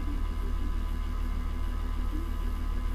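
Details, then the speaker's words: Acer Aspire E1 (Q5WPH) laptop after disassembly and cleaning, fan not yet lubricated, under load at 60°C: loud steady drone with whirring tone, quieter than before but still noisy; fan still rattles. "вот при нагрузке 60 градусов он начнет раскручиваться конечно потише чем раньше ну сторону шумит"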